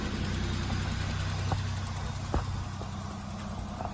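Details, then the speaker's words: VL Turbo with an RB30 engine starting after the fuel pump primes, with a little throttle: a steady, low idle with a slightly raspy note from a known exhaust leak (muffler off), plus a couple of soft taps; a normal start. "That is how an RB30 is meant to start."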